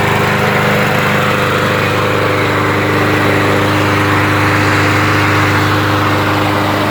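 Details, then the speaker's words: Briggs & Stratton 625 EX mower engine with auto choke, cold start after ultrasonic cleaning of plastic carburetor that caused surging: loud, steady buzzing run, no rise and fall, starts on one pull; normal idle, surging fixed. "so yeah so it's running good uh it's not surging anymore well and it's starting up one pull"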